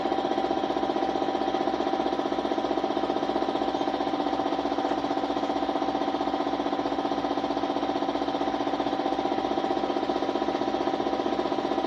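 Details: Suzuki Smash motorcycle, small single-cylinder running with steady fast even ticking about four beats a second and buzzy exhaust note; hard starting, misfiring (palyado), stalling, hiccuping, cause not confirmed.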